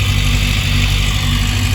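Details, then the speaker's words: Yamaha FZS600 Fazer 600 after clutch plate replacement and cleaned, re-gapped spark plugs: steady, even low idle with a smooth exhaust beat, no clutch rattle or slipping noise; rpm needle now steadier, normal healthy idle. "Power तो अभी बिल्कुल ठीक है जी clutch पेट की कोई आवाज नहीं आ रही है बाकी तो इसको चलाएंगे पता चलेगा"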